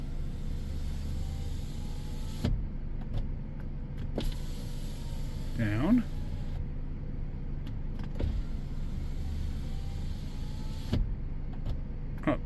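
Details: 2015 Ford Edge rear window after relearn: steady motor hum as the glass travels the full way on its own, stopping cleanly with a soft clunk; auto function working.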